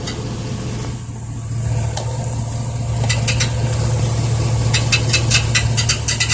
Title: 1999 Chevy Silverado rattling noise